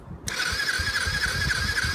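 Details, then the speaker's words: Yamaha quad project, previously stuck engine freed with oil, spark plugs in, no fuel yet: starter whine with even exhaust puffs about four a second while cranking; exhaust valve and compression appear to be working. "looks like the exhaust file opening and closing of exhaust air coming out good signs"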